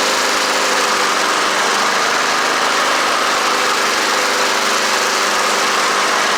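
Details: Honda HRR216 mower, sitting since 2000, run after the Smart Drive belt was untwisted and tightened: holds a constant busy buzz with no surging or knocking. Running normally.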